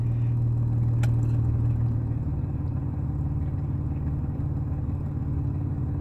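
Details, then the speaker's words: 1996 Dodge Dakota 3.9 V6, 4-speed automatic, 4WD, hard starting unless given gas; IAC and MAP sensor already cleaned, throttle body passages cleaned; low, uneven loping idle that never settles after lifting off the gas; rough idle. "tell me why it's rough idling rough doesn't want to start on its home"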